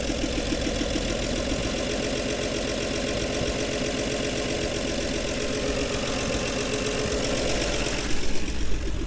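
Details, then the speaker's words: 1961 Chevy Bel Air 235 inline six, parked since 1981, idles steady and even with a soft regular putter, no knocks or misses, on day three after new gas tank and starter switch; healthy idle. "and she's alive and she sounds really good it idles beautifully"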